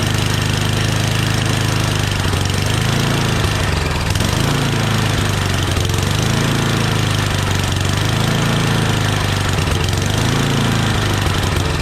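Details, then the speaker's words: Yardman 8.5 hp 26-inch dual-stage snowblower after confirming spark and spraying starting fluid: small single-cylinder engine idles steadily and revs up and down cleanly with throttle; normal idle and throttle response. "Good idle. Throttle. Really nice."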